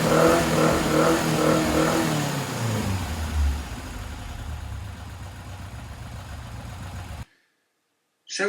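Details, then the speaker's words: Tiger Cat E1 kit car, next day, fully cold, started on the enricher: catches, revs up, settles to a steady even run; normal cold start and revving. "this is the next day so this is completely cold so what we'll do is we'll put the enricher on instead of the choke and we'll crack it up and see if it runs"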